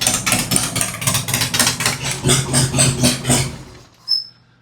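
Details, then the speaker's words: 2003 Harley-Davidson Road King 100th Anniversary with Andrews 26A cam, just fitted with new headers and ThunderMax, first start: loud lumpy V-twin idle at about four beats a second, steady and even, music behind; sounds healthy. "I don't know if you guys can hear that. I imagine you can. That is one sweet idle right there. Good grief."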